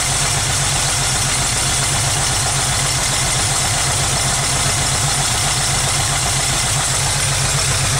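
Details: 1991 VW Vanagon Carat right after a cold start: lumpy, uneven idle wavering instead of settling, jumping 600–1000 rpm, with black watery soot at start; running rich, cause not yet found.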